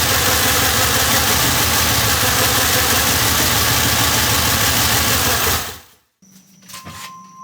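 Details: Monte Carlo engine after a valve train repair for a knock: loud, even running with a steady beat of about three per second and no tapping or knock, then a clean shutoff.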